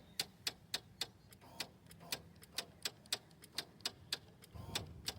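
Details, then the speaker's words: Kawasaki Ninja 400 won't start: rapid sharp clicking, three or four per second, from the solenoid where the fuse sits, no cranking; battery reads about 10 volts, later jumped from a truck. "it's making a clicking noise which is coming from that solenoid where the fuse was at"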